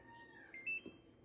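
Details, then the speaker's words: Egg incubator loaded with pheasant eggs, alarm button held down to test it: quiet room, then a short clear high beep of about a tenth of a second; normal alarm test, same alarm signals an open door. "That when it was beeping earlier, if you could hear that, that was basically an alarm saying the door is open. So bear with me on this. If you hold this down, it'll alarm."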